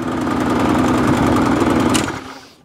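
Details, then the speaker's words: Qualcast mower with a Briggs and Stratton Classic engine, primed, popping unevenly for two seconds then dying away; lumpy, hunting run, and the owner says it needs a carburetor clean. "Well, it runs. Not very well. Carburetor clean."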